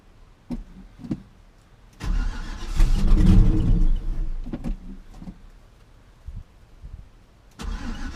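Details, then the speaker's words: Classic Chevy C10 pickup that sat about five years and was parked over a knocking engine, with doubtful old fuel, carburetor cleaner sprayed into the carburetor: starter cranks in a steady churn about four beats a second but never fires. "okay I'm probably gonna have to squirt some starting fluid down and throw to the carburetor just to help get it going maybe then the fuel pump will pick up"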